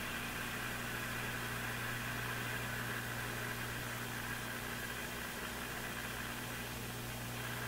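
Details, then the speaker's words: Brand and Millen DR-102U tube AM radio, all paper/wax capacitors replaced, tuned toward 780: constant hiss over a steady low buzz, no clear station; interference picked up, source not yet identified. "Now, I will now tune it towards 780. We'll see if it this thing picks up the actual noise"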